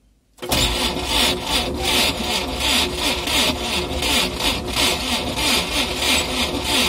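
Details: UAZ engine run with no oil seized and spun its bearings; cranking it cold brings a harsh, rhythmic scraping creak with each turn as the damaged engine drags. The earlier grinding is absent, likely because the engine is cold.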